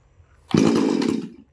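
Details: Chainsaw after cylinder bore and piston kit replacement (previously would not start however many pulls), chain fitted and tensioned, test start outdoors: short clean burst of revs rising and dying away evenly, no sputter or hesitation; runs healthily.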